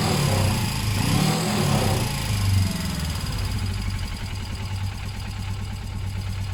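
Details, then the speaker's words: Suzuki GS500 warming up after a service: revs climb for a couple of seconds when the bars are turned one way, then drop back to a steady idle; the too-tight throttle cable pulls the carb open and may need a new cable or rerouting. "Yeah, so you see when we turn it one way there, it revved up. That's actually extremely dangerous."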